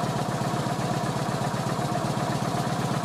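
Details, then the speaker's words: Kawasaki VN900 Classic V-twin after charging-system work, testing regulator output in garage: steady lumpy idle with even pulses, then throttle blip, no knocks; 13-14 volts measured, alternator and regulator working; normal idle and revving. "ça a l'air pas mal. Je vais donner un coup de gaz."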